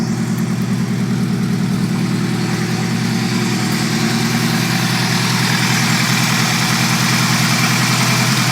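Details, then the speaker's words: Chevette with Keihin CV motorcycle carbs after main jet work, new idle jets, reset idle circuit and resealed intake runners; dead cold start settling into a steady, even idle with a regular low pulse, running much better, slightly wobbly. "That's running way better. Oh, there we go."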